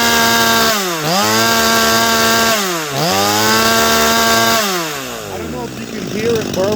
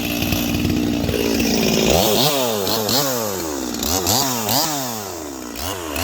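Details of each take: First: Holzfforma G255 (MS 250 clone) chainsaw being tuned, Chinese carb: held wide open it burbles and breaks up unevenly instead of screaming clean; four-stroking from a rich high-speed mixture. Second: Holzfforma G255 chainsaw (MS 250 clone) after carburetor tuning, cutting maple: crisp two-stroke revs rise and fall about three times a second. It pulls cleanly through the cut without bogging and is running well.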